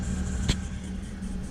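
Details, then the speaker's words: 1995 MerCruiser 4.3L Vortec, Thunderbolt IV ignition, Alpha 1 Gen 2, on garden-hose cooling water: a smooth, even low rumble at about 900 rpm, normal idle. Temperature is near 170–175, and the owner suspects a water flow issue in the manifolds. "running at 800 to 900 I think something like that I gotta look but that's just if she's running she's got only just about right"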